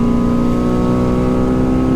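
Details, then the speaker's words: Jeep with a Trailhead Off-Road THOR intake, heard inside the cab while accelerating after slowing from about 40 mph, with a glass-pack exhaust. A deep, loud, even intake roar under throttle. This is normal open-intake noise and the engine is fine. "what i do notice inside the cab is my trailhead off-road intake it's pretty loud but really it's not bad until you're stepping on it here check this out"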